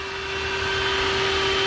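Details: 1978 Ford Courier, newly installed Davies Craig EWP-150 electric water pump and SPAL electric fan running on override: smooth even steady mid-pitch hum with no rattle or scrape, both running normally.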